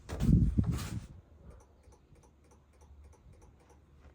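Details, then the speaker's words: Opel Corsa D horn fault: faint quick relay clicks under the hood, about four a second, with no horn sounding; owner suspects missing ground or power to the horn. "ось воно клацає но сигнала немає зараз буду дивитися"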